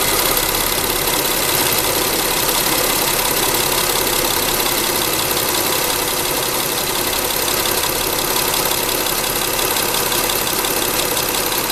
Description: This is the horrible clacking sound of a failing Timing Belt Hydraulic Tensioner in a Mitsubishi Endeavor with a 6G75 engine (V6 3.8L ci 3797cc MFI GAS SOHC).